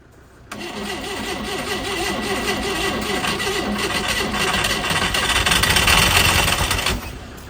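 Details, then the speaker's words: Abandoned 80s supercar engine, seized after 25 years sitting, freed off and first start attempt: cranks then catches into uneven lumpy clattering run; sticking valves leaving little compression, spark confirmed. "So, the only thing left to do was try and fire this abandoned compressionless engine up."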